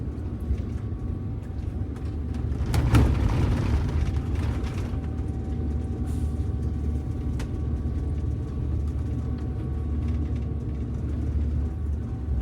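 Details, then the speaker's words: Prevost bus with a Detroit Diesel 8V92TA, after exhaust leak repairs; the Jake brake engages above about 1200 rpm. Deep steady diesel drone with a heavier, even exhaust rumble as the Jake brake holds the bus; normal engine brake operation. "Oh, it was going. Yeah. Yeah, it's holding it."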